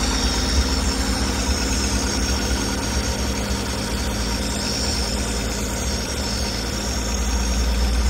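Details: 1965 V8 after turn-signal switch and wiring repair, running on choke after cold start: steady, even idle with a smooth low rumble, no knocks or misses; later reaches just over 190 degrees, charging 14 volts.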